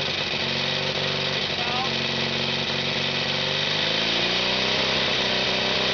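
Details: FrankenBriggs even-fire two-cylinder converted from a three-cylinder, front cylinder dead, muffler removed, chain-drive distributor firing cylinders 180° apart. A steady, even, buzzy beat at constant speed with no missing or lumpy firing: normal running.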